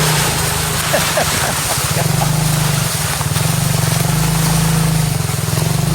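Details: 2021 Kayo 70cc kids dirt bike, under 5 hours, after carburetor cleaned to fix a no-start fuel issue: steady, even buzz picking up smoothly as it rides off; no misses, running cleanly.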